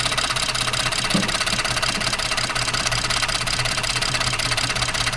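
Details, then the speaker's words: 2014 Ford F-150 3.5 EcoBoost idling with an uneven, stumbling, shaking beat while the cylinder 6 coil connector is reseated. After reconnecting, cylinder 6 still misfires; the coil is to be checked next. "Si te fijan, si se fijan a está tiemble tiemble más. No, mira, está temblando el motor."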